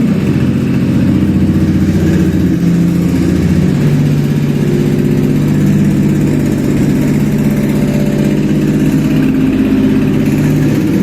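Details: Contract Toyota 1MZ V6 engine on a test stand, first start during compression check: a smooth, even idle hum with steady pitch and no knocks or ticks over eleven seconds. The engine runs cleanly.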